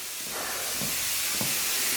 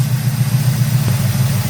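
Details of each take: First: 1971 Oldsmobile 455 V8 after timing and carburettor tuning around 1200 rpm: loud steady hiss with spitting surges of steam as coolant boils past the radiator cap from overheating; owner suspects the thermostat failed again. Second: 1971 Oldsmobile 455 V8 carbureted, during tuning: deep, steady rumble idling about 780 rpm after timing set near 12–14 degrees and idle mixture screw one turn in; 18 inches vacuum; smooth normal idle.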